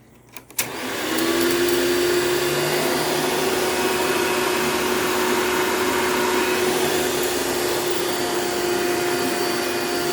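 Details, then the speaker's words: $9 vacuum running with its existing paper Bissell Style 7 bag fitted: motor spins up in about a second to a smooth, steady whine, no flutter or rattle; runs well; it leans back, possibly from broken motor clamps. "So, actually runs pretty good. Very smooth, actually. So, very happy about that, considering I only paid $9 for it."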